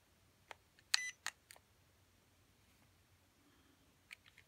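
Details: E56 motors, clip just after switch-on: a few short beeps and clicks, then quiet with no spin-up; about half the time the motors fail to start when commanded.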